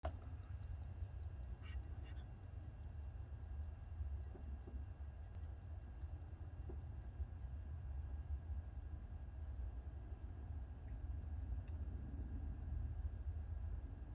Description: Rolex desk clock repaired and operating normally